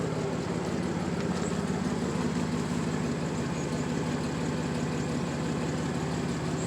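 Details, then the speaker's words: 1994 Dodge Dakota, warm, after new catalytic converter and Flowmaster exhaust; low, steady thump-thump idle with no rattle or hiss, earlier buzzing gone; normal healthy idle. "It's got a little thump thump thump thump thump thump thump thump thump sound that I like. So this is how it sounds so far when it's idling."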